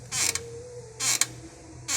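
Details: Renault-based Sandero brought in for a steering rack noise, rack leaking: sharp dry creaks in bursts about every second as the car is rocked; front suspension, possibly the right control arm, suspected rather than the steering rack.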